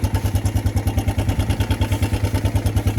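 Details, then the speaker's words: Suzuki Quad Runner LT160 ATV single cylinder in lumpy, slightly swaying idle about seven thumps a second, barely keeping running, not smoking; fuel in tank but suspected not reaching engine, owner suspects carburetor needs cleaning. "It's running, idling. I don't know how much of that is carb clean, but it's not smoking."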